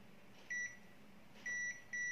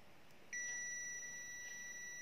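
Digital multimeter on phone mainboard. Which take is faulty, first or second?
second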